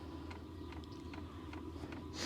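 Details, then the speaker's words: Diesel heater with sound-deadening foam added inside the case, running on high with the microphone about 3 ft away: a quiet steady hum with a soft fuel-pump tick roughly every half second; the foam helped slightly. Normal running on high. "I don't know if it was that substantial of a change, but I guess every little bit counts. That's running on high. And the microphone's about 3 ft away from the machine."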